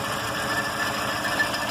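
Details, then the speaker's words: Chevrolet Zafira 2.0 8-valve, engine rebuilt about 6 months ago: on acceleration a fast, light sewing-machine clatter with a thin high whistle, and the car feels weak; pulley tested and ruled out, owner asks about fuel; source unclear. "Quando eu acelero ela faz um barulho estranho e fica um pouco fraca também. Será que é combustível?"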